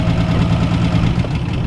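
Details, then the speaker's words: 1961 Ford Falcon abandoned 15 years, started on the key without throttle, generator light on: low, lumpy idle with an uneven thumping beat under the exhaust drone; runs a bit rough, maybe a weak cylinder, unconfirmed. "we're just going to hit the key she fires right up and runs how about that huh unbelievable"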